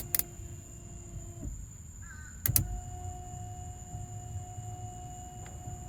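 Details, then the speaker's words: 1992-96 Ford OBS F150 after replacing failed 27-year-old wiper motor, ignition on, intermittent setting: quiet motor hum with soft clunks about every three seconds as it stops and restarts; normal operation, problem solved. "hopefully you can hear it in the video but the motor was coming on you could hear it stopping and starting for intermittent so it looks like that solved the problem"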